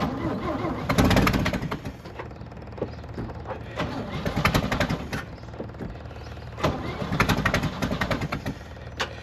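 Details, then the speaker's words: 1964 Chevy C30 1-ton truck, choke set, fuel pump primed: repeated cranking bursts with uneven catches and a little backfire, never settling into a run; ignition not wired correctly. "you know what I've seen this before the ignition's not wired correctly whoa little backfire"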